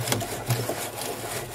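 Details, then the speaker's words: DIY table saw tilting mechanism turned by hand via plastic rope drive: dry wooden creaks and crackles as the pivot bearing binds when its angle changes; owner suggests sanding for clearance. "i would say this thing can be a little bit hard to rotate especially when the england on this bearing changes you can maybe hear it sometimes cracking"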